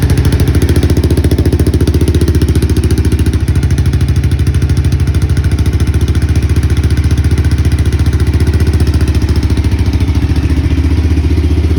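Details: Honda XBR500 idling on its worn original mufflers, before replacement: loud, blunt, even thumping with a hard unmuffled bark; worn, too-loud muffler.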